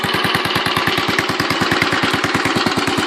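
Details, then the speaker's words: Royal Enfield Bullet 500 Classic single idling just after kickstart: even loping thump, about nine beats a second, steady, with light tappet ticking on top; the owner calls it pretty nice and says a better exhaust would improve it. Healthy idle. "you can hear the sound here, it's pretty nice. If you get a decent exhaust on it, it will sound a lot better, but oh, it smells lovely."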